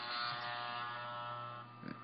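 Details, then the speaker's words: Andis gray T-Outliner trimmer with T1 blade and overtightened tension screw: thin, flat electric buzz with little body, dropping near the end; the nylon ball sits off-center and resistance limits blade movement, giving less power and letting a pinch stop the blade. "Now it'll cut, it'll do alright, but it may pull, and it may not do crisp lineups, and it may seem to dull faster because it has less power."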